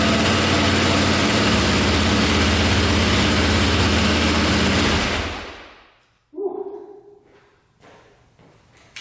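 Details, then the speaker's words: Cheap KTM 450 single-cylinder dirt bike, low on oil, after starting right up: loud steady running for about five seconds, then clean shutoff; normal running, earlier noise suspected to be the one-way starter bearing. "that sounded really good actually i don't have much oil in it so i didn't want to run it too long but oh yeah she started right up that sounded really good"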